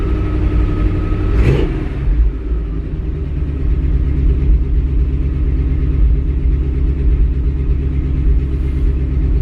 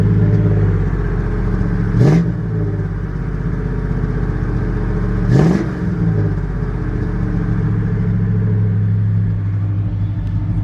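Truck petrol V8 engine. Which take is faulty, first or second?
first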